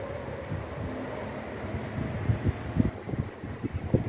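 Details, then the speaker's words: Voltas 185 Vertis Smart Lite Gold WiFi inverter AC outdoor unit: soft, steady fan whir with a few dull thumps, fan runs briefly then stops; the compressor's deeper hum never comes in, compressor not starting. "इसमें दिक्कत ये आ रही है कि fan थोड़ी देर चलता है फिर बंद हो जाता है, कंप्रेसर स्टार्ट नहीं हो रहा है।"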